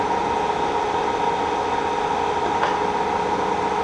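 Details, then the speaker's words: K&T milling machine shifting its spindle speed up from 25 rpm to 54 and then 98 rpm: steady, clean mid-pitched hum with a single click as the gears mesh smoothly, no grinding. "can hear the gears you know mesh fifty-four was to 98 RPM"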